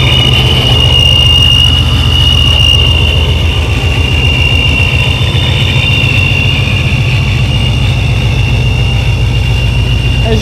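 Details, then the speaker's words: Car with new dual-pump Fore Innovations fuel system, smaller supercharger pulley and cleaned vacuum lines idles smoothly with steady high supercharger whine, no misses or knocks; fuel pressure set 55 without vacuum, holding 45. "it runs very smooth plenty of fuel pressure"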